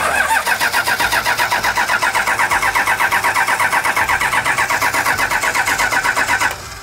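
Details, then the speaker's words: 1984 Toyota Land Cruiser HJ47 with 2H diesel, unrun for 19 years, glow plugs powered by hand: steady cranking about four beats a second for six seconds, never catches. Won't fire; air in the injectors suspected, to be bled again. "I wants to start you can tell it's just not quite turning over just yet"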